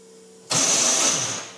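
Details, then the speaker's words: Race car starter motor, fairly new-looking unit, failing to crank: harsh high-pitched whirring grind for about a second with no engine turnover; Bendix drive suspected, but the starter's support mount is broken. "doesn't sound good does it so I'm going to going to even try it more because it may cause even more damage I think it's probably the bandex which is wrong or something else"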